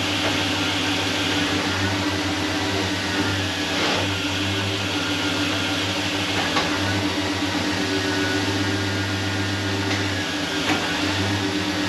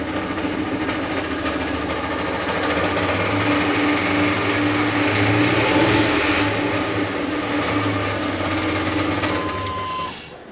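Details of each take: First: LS-swapped truck after retightening torque converter bolts (flex plate replaced): steady, even idle with a smooth low drone and no ticking or rattle from the flex plate area. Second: LS-swapped truck: rough clatter from underneath, about three to four knocks a second, worse with revs, giving a shake felt through motor and drivetrain.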